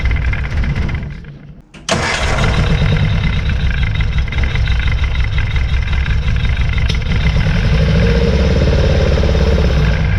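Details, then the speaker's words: 1966 Austin Healey Sprite, first start after new ignition switch and battery, float bowls hand-filled: catches after brief crank, idles unevenly with occasional stumbles, missing at idle; good oil pressure, tank drop and full tune-up planned. "all right so now we're going to probably drop the tank do a full tuneup on it cuz as you can tell it is missing but it held good oil pressure everything"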